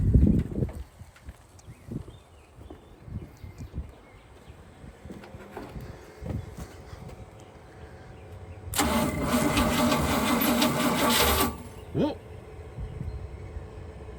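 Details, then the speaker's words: 1976 GMC C20 big block, sat in storage 30 years: a roughly three-second burst as it catches and roars, then dies straight away. Owner suspects the fuel pump is not filling the float bowls. Cranks and fires briefly but will not keep running. "wanted to. She barked off for a second. I don't think our I don't think the pump is working on the bowls here."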